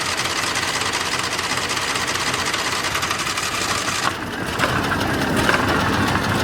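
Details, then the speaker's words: Argo ATV engine at 471 hours, running rough with a loose, uneven bottom-end knock about two to three per second as the belt visibly moves. Owner says the bearings are shot and suspects lost compression; a new engine is wanted. "that's the exact noise so what that means is the uh bearings on this thing are shot"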